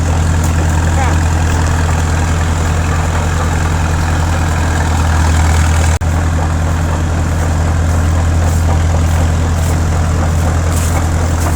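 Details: 1950s Caterpillar D4 crawler diesel, sat at least 20 years, started via pony motor after a temporary fix for a severed fuel line, driving with some slipping: deep, steady thrum holding an even beat under load, no knocks or misses; normal running.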